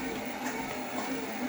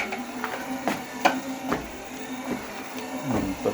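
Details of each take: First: Torneo Inita T-150 treadmill after cleaning and tightening all deck bolts on the left side to cure a deck squeak: steady motor hum and soft belt rumble, squeak gone; normal running. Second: Torneo Inita T-150 treadmill at 4 km/h, deck squeak with each left footfall, right foot silent; owner suspected the deck, fixed by tightening deck screws after peeling off glued trim; creaky clacks over steady motor hum.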